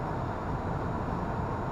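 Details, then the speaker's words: 1994 Dodge Dakota 5.2 V8 after fuel injector replacement, stopped idling in gear after test drive; low even rumble with no stumbles, no engine light; healthy idle. "At a stop, engine idling, in gear. It's not even running badly, so not sure if that vacuum line is important or not, if it's just part of the emissions or what, but it ain't running weird."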